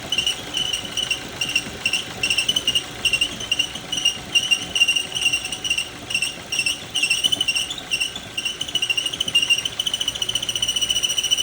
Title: Ford Focus: Squeaking and Squealing When Starting the Engine – What’s That Sound? #ford